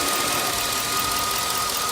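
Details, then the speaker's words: 2005 Chevy Avalanche high-mileage V8 after new spark plugs, wires, all 8 ignition coils and an oil change, fixing a misfire from a bad coil: idles smoothly with a steady, even hum, no stumble or miss. "Okay guys, I got it started. As you can hear already, no noise right now. It's smooth."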